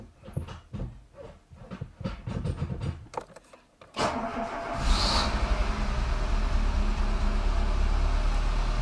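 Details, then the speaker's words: Renault Logan 1.4 petrol, 183,977 km, first start after cylinder-head repair for coolant loss, manual in neutral with clutch pressed: clicks, a quick crank, then a smooth steady idle. Starts easily; later idles at 1200 rpm with slight shaking. "машинка завелась с полпинка как слышите как никогда не завожу и не гожусь сначала пусть сама маленько поработать масло разойдется"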